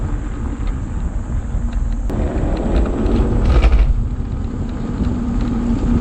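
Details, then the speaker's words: Home-built 72V 12,000W hub-motor electric dirt bike on a Kawasaki KX250 frame: low uneven pulsing rumble, about three surges a second under throttle, motor jerking instead of pulling smoothly; persists after controller current lowered from 600 to 200/400 amps; cause unknown. "i don't know how to describe it but it's still doing it even at these lower settings"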